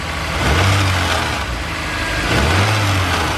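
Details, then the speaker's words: Honda S2000 revved under the hood, with a loose, uneven rattling buzz; the owner reported noise on revving, stalling, rough running and low power; loose parts including the alternator rattle, so the knock sensor pulls timing. "It has a noise in the engine when you rev it up, and also it stalls, and customer reported it just runs a little rough."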